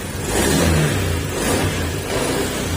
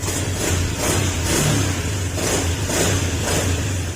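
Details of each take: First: Honda Beat FI scooter that misfires and starts hard: engine revs in uneven surges that sag between blips, acceleration delays and the idle is poor until it dies. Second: Honda Beat FI scooter brought in misfiring and hard-starting, after TPS checks: engine runs with an even, steady low idle beat and clean swells as the throttle is eased; slight hiccup before the ECU is reset; fuel pump later blamed.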